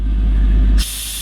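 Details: 1940 Ford pickup resto rod with front and rear airbags, front raised from about 45–50 psi: a short steady hiss of air as the front bags pressurise, then a clean cutoff; normal air-ride adjustment.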